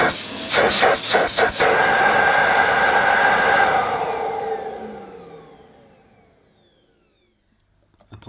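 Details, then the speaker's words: Ufesa Zelmer 4-in-1 vacuum at its first switch-on, hose not attached, power level uncertain: clicks, then a loud, steady rushing whine that winds down smoothly, mostly inlet noise, healthy and powerful. "I mean, it was loud, but I think most of the noise was actually coming from the inlet. You could hear the suction. Pretty powerful."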